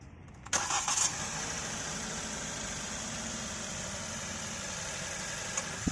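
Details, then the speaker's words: 2022 Maruti Suzuki Dzire CNG running on petrol, heard from inside the cabin just after start: smooth, even idle with a faint steady hiss, no extra noise; normal quiet idle. "यह तो अंदर की side आप सुन पा रहे हैं बिल्कुल silent engine है"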